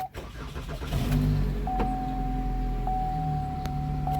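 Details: 2013 Chevy Malibu after replacing blown 20 A fuse restoring power to fuel pump module: short crank, engine catches quickly and settles to steady even idle with faint chime; crank-no-start fixed.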